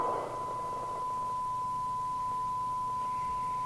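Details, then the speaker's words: President KP77 UK FM CB base station restored from scrap chassis: receiver producing a clean steady tone around 1 kHz, no hiss, crackle or distortion; receiver working properly. "move on to the receiver and as you can hear it is receiving"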